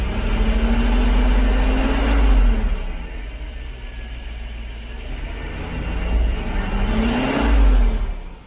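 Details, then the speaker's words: Freshly rebuilt 454 Big Block Vortec Chevrolet V8 during break-in after first start: revs rise smoothly to a strong rev and fall back twice, clean and even with no knocks or misses; oil pressure 50 psi, no fluid loss, healthy. "let's make sure that we're all up to pressure here oh yep good double check our oil pressure oh wow we are just right there at 50."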